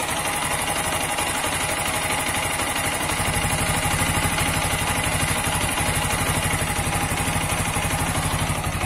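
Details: TVS Apache 160 4V Special Edition, new bike, at idle: quick, fairly even tapping of about four knocks a second over the engine beat; owner suspects connecting rod or crankshaft, cause unconfirmed.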